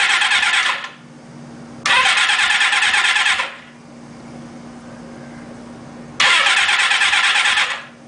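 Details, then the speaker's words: Suzuki GS550 after oil leak repair and engine reinstall, no fuel tank fitted, on jump box: two strong even cranking bursts with steady rhythmic churn, no catch, engine spins over freely; normal cranking. "Let's see if it turns over okay. Sounds like it's turning over."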